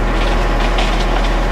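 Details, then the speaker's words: Concrete mixer truck during a curb pour: heavy diesel rumble with a loose, quick drum rattle as it turns, meaning the drum is almost out of concrete. "yeah that that drum rattling like that that means you're almost out"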